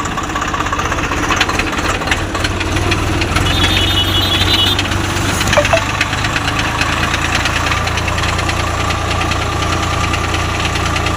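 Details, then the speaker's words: Swaraj 744 FE tractor, gearbox noise in every gear, at idle too, worse in the field under load: rough gnashing clatter over the diesel idle, the same in each gear; stripped teeth on the always-meshed PTO drive shaft gear. "సౌండ్ే అన్ని గేర్లలోన ఒకటే sound కొన్నిసార్లకి fourth గేర్లో sound రాదు కానీ దీనికి అన్ని గేర్లలోన sound వస్తుంది"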